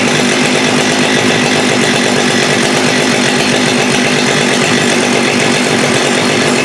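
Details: Modified Husqvarna 394 saw converted to 395 with HyWay 58mm pop-up big bore cylinder, OEM carb: no-load revs stall around 10,500–10,900 rpm, high-speed screw unresponsive; suspected rev-limiting device dumps fuel, too rich on top, won't rev out. Cold weather.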